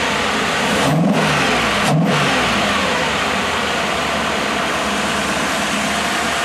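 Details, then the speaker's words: Freshly rebuilt 1987 Mercedes-Benz 560SL V8 on a warm start during break-in, with the microphone at the front of the engine. The idle is smooth and even, with two brief throttle blips and the cooling fan rushing. It is so quiet the chain tensioning is audible, and it sounds healthy. "The actual engine is so quiet that I can hear the chain tensioning."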